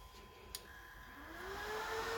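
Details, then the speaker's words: Dell DPS-488AB server power supply switched on at the front, fan controlled via a 500k pot; fan tone climbs steadily as it spins up smoothly, no rubbing or ticking, normal start. "you can hear the fan coming up. I can just the fan with this little pot. We'll try and keep it at a low rate."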